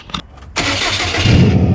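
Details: Subaru with turbo and manual boost controller, idling funny, misfiring and accelerating poorly; cranks and catches into an uneven, lumpy, wavering idle. Hose found holed where it touched the turbo, but rough idle traced to a failed idle air control valve.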